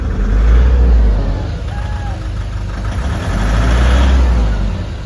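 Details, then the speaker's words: Nissan Urvan Estate ZD30 diesel at idle, smoky, misfiring and shaking, vibrating on light throttle, no check-engine light or fault codes; deep uneven idle surging about three times a second. "Ito ang issue niya is mausok at saka nangangatal ng konti. Nagv-vibrate pag ah dahan-dahan yung apak ng accelerator."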